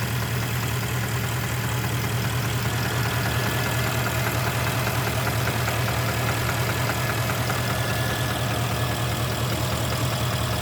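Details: Porsche Panamera 4.8 knock at hot idle after about two hours of driving; faint regular light tapping over a low idle rumble, disappears when revs raised slightly toward 1000 rpm, absent when cold; cause unconfirmed, scoring suspected.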